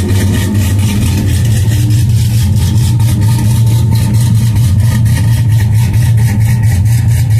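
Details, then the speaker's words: 2002 GMC Sierra V8 cold start after sitting a couple of days: deep, steady burble at cold idle, even with no knocks, ticks or misses; engine sounds good. "so anyway man that sounds good doesn't it"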